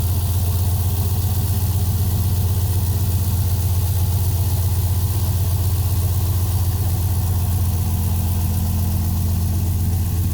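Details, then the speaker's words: 2020 Ford F-350 Super Duty 7.3L Godzilla gas V8 idling after belt and pulley work and new spark plugs: steady, deep V8 rumble, no squeal or chirp; belt squeak gone, normal idle. "But yeah, I don't hear any squeaks, so looks like we're good."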